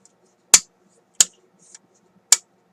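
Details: RCA Victor M-45 AM/shortwave radio during checkout; three crisp clean switch clicks with no scratchiness or crackle, switch snapping over normally.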